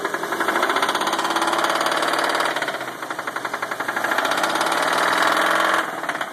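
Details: 1995 Nissan Pathfinder VG30E V6 petrol with hydraulic lash adjusters: quick, steady metallic knocking about four per second while running. Owner suspects rod knock, a bearing or a faulty knock sensor; unconfirmed.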